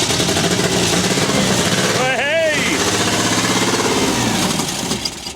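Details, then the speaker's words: 1974 MGB GT that sat 29 years, ignition timing set to 10 degrees: lumpy, uneven idle with a chuffing beat, running on at least two cylinders. Suspected a carb not picking up yet, sticking valves or wrong firing order. "well we're running on uh at least two cylinders anyway so i'd say one of the carbs just hasn't picked up yet"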